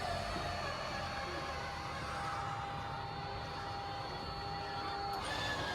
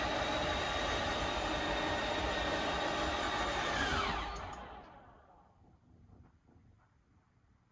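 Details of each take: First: Schwintek RV slideout before repair at Lippert: electric motor strains and slows under load with a steady whirring drone, pitch sagging as one side binds and bogs down while the far side runs ahead. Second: Schwintek RV slideout after Lippert replaced one side: smooth, steady motor whir for about four seconds, winding down and stopping cleanly with no grinding; cold weather, so possible ice and seal cracking.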